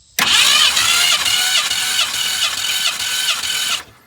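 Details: 1965 Ford Fairlane barn find sitting since 2001, cranked during compression test, cylinder six reading about 160 psi; starter spins engine evenly, about two strong steady compression beats a second, nothing dragging; normal cranking.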